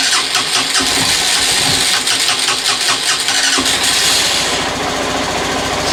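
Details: Honda CB125F started after priming the petrol several times. Several seconds of uneven cranking, then it catches and settles into a steady, even tick-over with regular firing; normal start and idle.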